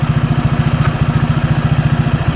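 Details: Honda PCX scooter with Yamaha Aerox pulley fitted, after 6000 km and DIY CVT cleaning: fast even putt-putt pulses, steady, no rattle or misses; clean smooth idle.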